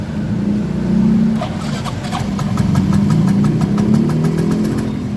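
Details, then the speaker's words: Poorly maintained Yamaha Mio M3 scooter with no check engine light: engine idles unevenly, speed swelling and sagging, won't hold idle and stalls; stopper bolt appears previously tampered with. "Tidak bisa langsam motornya. Mati lagi. Mati lagi."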